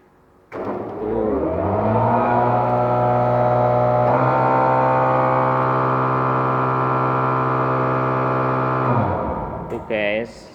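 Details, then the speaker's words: Sewage treatment plant (STP) blower driven by V-belts, started manually from the panel: spins up within a second to a loud, steady low drone with an even tone, then winds down; running normally. "Coba kita Nyalakan ya guys ya pasti Suaranya berisik nanti suara saya enggak kedengeran pasti nih"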